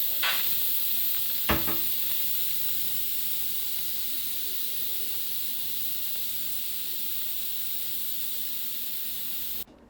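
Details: Insignia electric pressure cooker after cooking chicken fettuccine, manual vent opened: loud steady hiss of steam that fades slowly, then cuts off sharply; normal pressure release.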